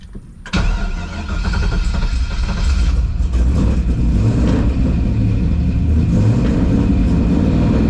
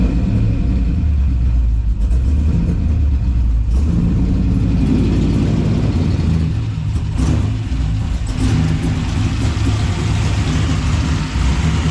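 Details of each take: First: Newly installed 6.0 LS V8 on a base tune after a TPS adjustment, coolant at 207: it cranks, catches within half a second and settles into a deep, steady rumble that builds slightly. Running hard and healthy despite plugs later found fouled. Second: 6.0 LS V8 freshly installed on a base tune, revving; deep sound with an uneven, lumpy beat and ragged pulses under throttle, spark plugs found badly fouled: rough running from fouled spark plugs.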